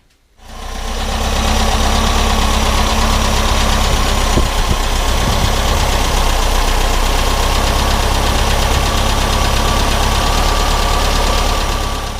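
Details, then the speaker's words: 1970 VW camper bus air-cooled engine under restoration, start on new fuel and battery after distributor reorientation (worn dizzy shaft play): low rumble, slightly uneven fast idle; starts easily but still rough, not yet dialed in. "So it didn't take too much to get it started in the end."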